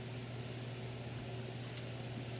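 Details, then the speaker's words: Sanyo FW55D25F TV with no power: a faint low hum with short high-pitched beeps, the capacitor flashing in time with each sound. The mainboard capacitor is shorted. "see the capacitor is flashing as the sound and you can tell that's the capacitor is bad"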